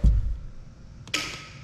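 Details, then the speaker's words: Newly wired garage receptacle circuit on a 125 A Siemens subpanel, checked with a Fluke receptacle tester: pressing the tester's GFCI button sends a fake fault. A single sharp, crisp snap from the GFCI receptacle as it trips, showing the protection works normally. "Now when I click GFCI right there, it's going to trip that. because it sends a fake fault."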